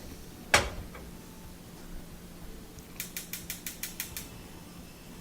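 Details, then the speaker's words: Wolf gas range burner after cleaning corrosion, dirt and grease off the burner head parts (previously kept clicking after lighting): one sharp click, about eight igniter ticks, then quiet as burner lights and sparking stops. "we go nice flame and no more clicking so that solved that problem"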